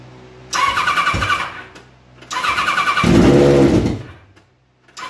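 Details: Kawasaki ZZR 1100 motorcycle engine swapped into a Fiat Panda 750 Fire, during electrical and engine tests: fires up cleanly, blips sharply twice and drops back smoothly. Healthy and responsive start.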